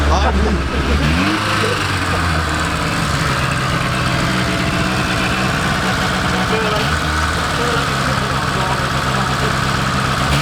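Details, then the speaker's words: 1980s Rover 213 SE petrol engine in a rusty restoration project, exhaust holed/blown throughout when bought. Revs fall off quickly, then a steady, even idle with a raspy exhaust rumble. No knocks or misfires, healthy. "Really impressed. It's got quite a nice exhaust note. It was blown when I bought it."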